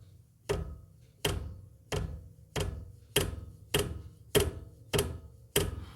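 Crisp, even clicks about every two-thirds of a second as the stand moves, no rattle or grinding; stand pivot sounds healthy.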